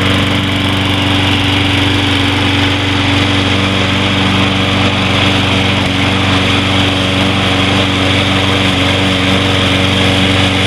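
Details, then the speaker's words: Troy-Bilt 21-inch mower with Briggs & Stratton 675 Series (6.75 gross torque) engine, first start after carburetor cleaning: smooth, steady buzz at constant speed, no surging; runs clean and healthy. "that sounds much better I think we got the sty build fixed is"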